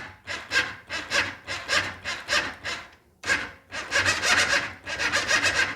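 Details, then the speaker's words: Honda Foreman four-wheeler with no-start complaint, starter jumped directly from battery positive: steady rhythmic cranking, about two compression strokes a second, brief pause then cranking again; starter good, suspected bad connection, relay or weak battery. "all right well that tells me the starter is good it's got a bad connection well the battery could be weak also"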